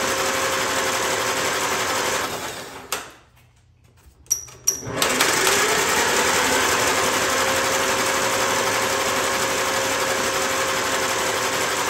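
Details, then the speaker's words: 1944 Allis Chalmers B tractor with new starter drive gear, external battery, in neutral, all spark plugs removed: quick even whirring chug as starter spins engine freely, short pause, then steady cranking; starter works. "i removed all the spark plugs so there'd be less compression when it's trying to crank it let's see if the starter works or not"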